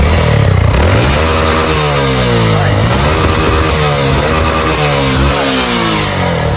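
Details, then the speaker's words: Single-cylinder motorcycle knocks "toc toc" climbing hills, feels weak and smokes/burns oil; mechanic suspects cylinder skirt (piston) slap. Loose hollow knock riding the exhaust beat under revs; idle noise blamed on clutch drum. "Tá parecendo que tá batendo saia de cilindro. Quando sobe o morro, faz um barulho. Toc, toc, toc toc."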